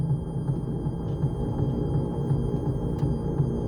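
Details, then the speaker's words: Electric MG Midget conversion with a newly installed motor on a 144 V system, driving in reverse: a low rough grind pulsing about three times a second while the motor stays quiet; forward is smooth, and transmission reverse-gear damage is suspected. "This is in reverse right now. It's pretty bad. Actually sounds very good going forward. So something with reverse gear is wonky."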